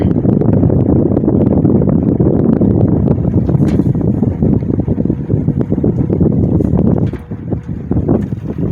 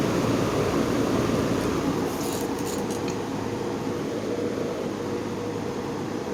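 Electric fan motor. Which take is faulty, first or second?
first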